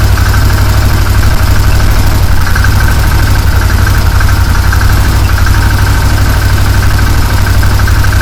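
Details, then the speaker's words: 2015 Massimo Militia 1000 UTV, idling with scan tool connected, batteries run down: low, heavy idle sagging and stumbling unevenly, struggling; cause unknown, oily smoke noted. "Now I can hear it kind of getting a rough idle. I'm not sure why. She's struggling to do that."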